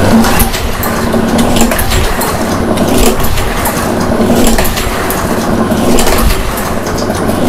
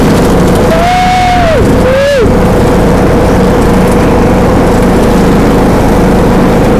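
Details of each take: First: Second mower with fresh gas, good oil and new spark plug: repeated uneven cranking bursts, turning over but never catching; cranks but won't start, something else missing, cause unknown. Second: John Deere D105A riding mower after replacing burnt deck belt with new one: loud steady drone under cutting load, no belt squeal or slap; normal mowing operation.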